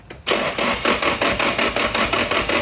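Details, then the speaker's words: Nissan S15 with an SR20, first start-up attempt with fuses already checked: an even cranking chug of about five beats a second with no catch; cranks but gets no spark; cause suspected, not confirmed. "I'm getting no spark at all why I have not moved anything I already checked all the fuses inside and outside"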